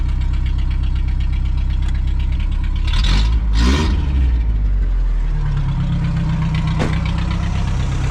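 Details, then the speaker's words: 1987 Toyota 4Runner after an engine rebuild, first start; uneven, lumpy idle with irregular thuds that picks up then sags; ignition timing off, distributor moved one tooth to fix. "I think I need to adjust this one tooth. You're not supposed to be able to kill it by doing that."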